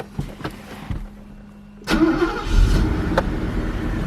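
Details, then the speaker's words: 1983 Mercedes 380SL, 78k miles, fuel system overhauled (new pump, injectors, rebuilt enrichment compensator), cold start with cool exhaust manifold: short crank, catches cleanly, steady even idle, oil pressure up; normal cold start and idle. "Okay, that fires up nicely. Oil pressure's up."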